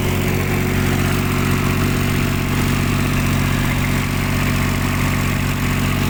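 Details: Kubota diesel on a tower light generator, previously not starting, after fixing a clogged primary fuel filter, loose fuel hoses and an air lock: steady, even chug at constant speed without misses or surging; idling smoothly.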